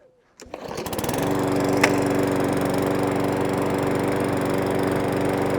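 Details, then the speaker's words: Briggs & Stratton 500E lawnmower, fully serviced after hunting and surging, fitted with a new genuine air filter: starts and settles to an even, steady run with no hunting or surging. "now what I will say is I've already noticed a difference in the engine it is actually running a lot smoother with a genuine air filter"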